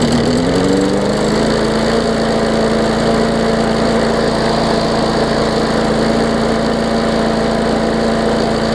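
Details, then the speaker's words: 2014 Bolens push mower with Briggs OHV engine after fitting correct spark plug and replacing missing carburettor jet ball plug; smooth even governed hum, steady pitch, no surging or misfire; normal running. "sounds good we'll let it run for maybe 10 minutes or so i'll top it off with oil"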